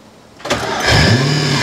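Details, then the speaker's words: Porsche 986 Boxster with V8 engine swap, first start after reassembly: engine catches into rough idle with steady whine on top; suspected power steering pump, timing cover check found nothing bad, noise seemed to decrease. "oh ça pourrait être la direction assistée on dirait que ça vient d'ici et je pense que ça pourrait être la pompe de direction assistée"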